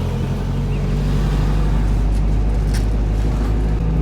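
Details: Nissan 300ZX with KA24DE swap on a Link Fury ECU and turbo-ready harness, while being tuned: smooth, steady low rumble at a constant idle speed with no stumble, knock or hunting; engine running properly.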